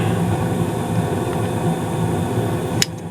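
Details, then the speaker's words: Carrier gas furnace, running in heat mode: steady, even burner roar louder than the low blower hum underneath, one brief click near the end; normal furnace operation. "the burners really have the biggest amount of noise here so you really can't I'm here the blower as much but it is going"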